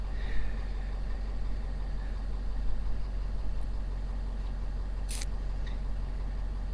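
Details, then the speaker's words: Ford F-550 Power Stroke diesel after low fuel pressure breakdown towing 30,000 lbs, restarted: spat a little then fired right up; steady low even idle, no knocks or misses, no engine lights. "and so started to spit a little bit and then it fired right up so there it is"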